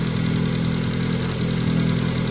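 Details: Ford Focus daily driver, cold start after replacing the purge valve and manifold gaskets for a whine suspected from the PCV crankcase baffle: steady, even idle with no whine; engine sounds healthy.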